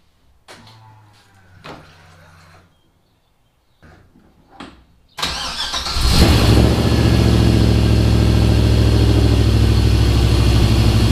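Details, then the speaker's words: LS V8-swapped Mazda RX-7 after replacing leaking LS1 intake with an LS6 intake manifold; fires up and holds a steady even idle with no hiss, stumble or backfire: vacuum leak fixed, normal idle. "It runs on its own. It doesn't die. It sounds good. It stays at the same idle."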